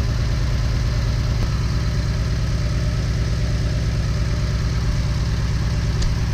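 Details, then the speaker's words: 2008 Jeep Wrangler flagging cylinder 2 and 5 misfires, idling with a low, uneven lope. No spark at cylinder 2 despite the owner's new coil, plugs and wires; cause found to be a faulty ECM coil 2 driver. "let's go ahead and check for spark see we got spark a piece of number two [Music] okay yeah no spark dead"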